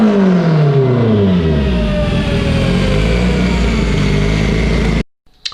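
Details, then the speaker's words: Evo 8 on dyno, built 2.0, GTX3584RS turbo, Haltech Elite 2500, flex fuel, sequential dog box: hard pull rising pitch turns rough, choppy near top then cuts out; high-rpm ignition breakup with GTR coils, coils suspected. "And I'm getting severe breakup. These do have the GTR coils, and the dwell time has been set correctly according to the specs that came with the coils. But we're still getting breakup."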